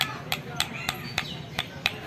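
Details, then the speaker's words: Motorcycle crankshaft, connecting rod struck by palm at the pin: eight sharp metallic knocks about a third of a second apart; worn big-end play marking a bad crank, which rattles when riding. "आप चुन पा रहे होंगे इसमें आवाज आ रही है है तो दोस्तों इसकी जो पहचान होती है हमारी करेक्टर ऐड कि यह खराब होने की पहचान होती है यह आवाज करती है"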